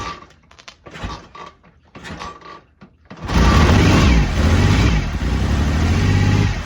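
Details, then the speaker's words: BSA Rocket Three Mark 2 five-speed (A75V), just after a carburettor service to cure erratic running, cold and slow to start from over-choking: it catches and settles to a steady, even low rumble with no misfire. Normal running. "sounds good took a little to start it because I think it was over choking it so as soon as I backed off the choke a bit and give it a more bit more air it was fine"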